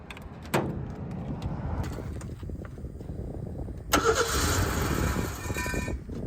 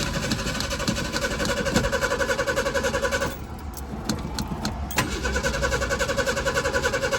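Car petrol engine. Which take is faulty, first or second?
second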